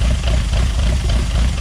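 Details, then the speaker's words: Newly built engine on its first start and heat cycle, Emerald ECU, throttle bodies nearly synced: an even, steady idle just under 1000 rpm, smooth low rumble, no misses or hunting, then a couple of revs. Normal idle. "give her a couple revs she sounds good though"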